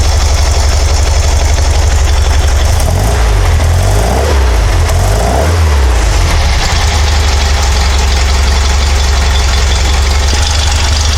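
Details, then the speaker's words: Porsche 912 flat-four after installing Dellorto DRLA carburetor update kit, idling about 700 rpm before warm-up: deep, steady low rumble with an even beat and no knocks or misses; clean idle. "so we're idling about 700 rpm"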